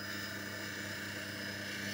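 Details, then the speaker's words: Small manual bevel-forming (faceting) machine with the camera close to it, lens being bevelled on a wetted wheel: steady, even wet grinding rasp, somewhat noisy like a grinder, with no catches or chatter. Normal lens edging. "Mesin pembentuk bevel manual, yang berukuran kecil. Agak berisik, seperti roda gerinda."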